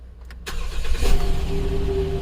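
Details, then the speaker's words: 2011 Jeep Wrangler 3.8L that had misfire and camshaft sensor codes (P0340, P0344, P2305) despite new coil pack, injector and plugs, after replacement ECU fitted: quick crank, steady even idle, no stumble, no check engine light. "look how smooth that started up. Look at that. And no check engine light."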